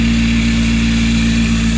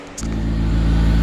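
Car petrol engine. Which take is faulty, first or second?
first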